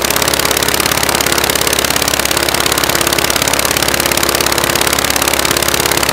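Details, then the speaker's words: Praga B2 aero engine, last ran 1 September 1939 on Hillson Praga G-AEYM, rebuilt and run on a Vauxhall test rig, first run: loud, fast, very even firing beat at steady speed on only one magneto; the other needs rewinding. "Only one magneto on at the moment. The other magneto doesn't work. So needs to be rewound before it will do anything useful."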